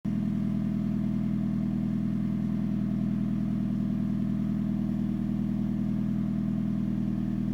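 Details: 2013 Hyundai Genesis Coupe 2.0 automatic at idle: fairly even light rattle, about three per second, over the engine note; owner suspects the engine, the engine mounts, or a low-hanging exhaust, unconfirmed; rattling noise.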